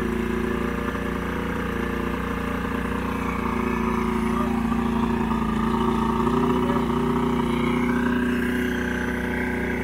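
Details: Old 90hp Johnson outboard on a 1987 Crestliner, sat about a year, fresh plugs: wavering uneven beat with hunting pitch; rough running, needs carb work and fuel line cleaning.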